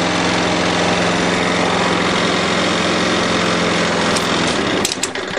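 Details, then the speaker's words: 6 hp Briggs & Stratton flathead on a Murray mower after a valve job: runs smooth and even with good compression and no more 'chit chit' sound. A slightly bent shaft rattles the body lightly before shutdown; normal running. "no problem notice it didn't make that chit chit chit sound anymore because now it's got good compression"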